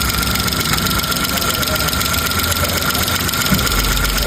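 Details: 2015 Kia Picanto at idle after ECU fix: light, somewhat uneven tick about 2.5 times a second; suspected alternator or its bearing, not confirmed.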